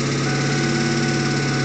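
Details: Inside the cabin of a 2001 Ford Mustang GT, a steady drone carries a faint repeating knock timed with the crank, only above 1000 rpm, with no power loss or rough idle. The timing chain and tensioner were replaced without effect. It proved to be rod knock, fixed with a forged short block.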